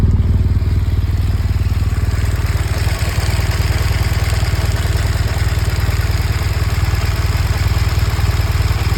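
Steady boxer idle with a quick, fairly even tick riding over the low thrum, about four per second; the source is unclear.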